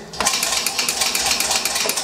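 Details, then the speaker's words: Industrial glycol feed package pump bumped in hand mode: rapid even clicking about ten a second as it tries to maintain pressure on the discharge line; normal operation. "and you hear it clicking, trying to maintain pressure on it."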